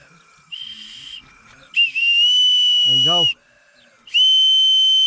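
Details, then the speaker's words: Ford Transit 2.4 TDCi (PHFA) being checked for a misfire with a leakdown test showing about 15–20% cylinder leakage; a steady high whistle at the inlet port shows a leaking inlet valve. "got leaky valve leaky inlet valve see"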